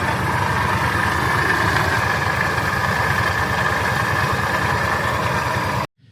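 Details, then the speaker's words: Truck idling after idler pulley replacement, still rattling badly: fast uneven metallic chatter over the engine, heard on the left side of the engine; owner suspects the belt tensioner or the AC bypass pulley, not confirmed. "And as you guys saw, it still rattles really bad, but at least we got that idler taken care of."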